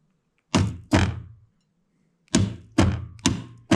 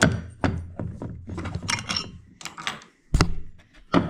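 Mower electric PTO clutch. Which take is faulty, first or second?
first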